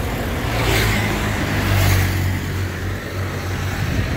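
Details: 2014 Isuzu Panther LS Turbo diesel idling, heard at the tailpipe: a steady, low burble with some wind rush; exhaust clean and odourless, combustion said to be complete. Normal diesel idle.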